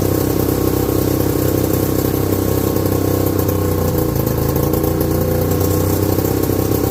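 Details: 1969/70 Sears snowmobile, single-cylinder Kohler, sat outside a year, first run after revival: fast, slightly ragged beat about four pulses a second, never settling; owner says it's sucking air, running lean, not confirmed.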